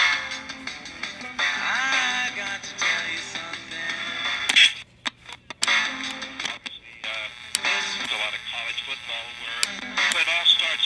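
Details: Radio after spraying cleaner into the dirty switch: plays music clearly with a couple of brief cutouts, then holds steady; reception normal.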